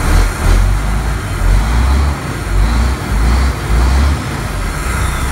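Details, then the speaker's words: 1993 Ford Louisville L8000 diesel truck, first run after sitting about 11–13 years, oil pressure reading 80: deep rumble with slight slow surges, steady underneath; healthy normal idle. "Yeah? Yup. Oh, this thing's great. Oh, it runs. It actually runs good."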